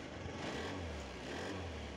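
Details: Honda Scoopy scooter after fixing a non-working electric starter by tightening the starter bolts: the engine runs steadily with a couple of smooth revs and no knocks or misses.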